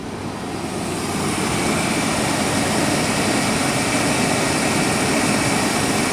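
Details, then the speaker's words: 1996 Chevrolet Blazer running after a bad battery connection was suspected, alternator charging: steady, even idle hum with no knocks or misses; engine idles cleanly and quietly. "Wow, and it sounds good. It sounds like it's running really well."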